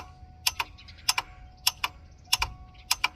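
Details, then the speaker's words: 1988 Ford F350 7.3 IDI diesel, new engine, unstarted for about a year, no start; glow plug relay ticks in sharp double clicks about every half second continually, no engine running; water-in-fuel light on when cranking, cause unclear. "Okay, we're cycling the glow plugs, and it's doing this continually. I don't know what that means."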